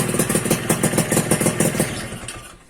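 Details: Suzuki Satria 2-stroke (Lumba) after bypassing the faulty on/off button in the aftermarket right handlebar switch that caused the no-spark: it fires up and pops along with a crisp, even beat before the sound fades; ignition restored, normal running.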